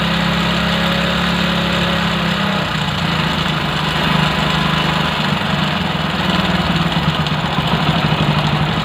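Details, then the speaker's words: Single-cylinder bike idle after carburetor air screw adjustment, settling to a lower, even speed in the 1000–1400 rpm range; smooth and clean, the carburetor is fine and the idle is normal. "Okay 1000 1400 ஓகேவா அந்த ரேஞ்சுல தான் இருக்கு"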